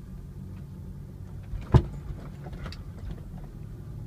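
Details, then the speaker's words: 2000 Toyota Land Cruiser 100 series, driving over a bump: low road rumble with one sharp, hard pop from the right front wheel area, ongoing four years despite new tie rods, CV axle, control arms and repacked bearings; source unknown. "you hear that that that noise has been evading me for about 4 years now there's one other spot just down the road that it will pop"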